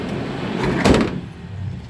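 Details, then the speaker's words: Car sliding door after lubricant spray on its rollers: it rolls and shuts with a soft thud, with no squeak at all now. "sama sekali tidak ada suara decit lagi ya"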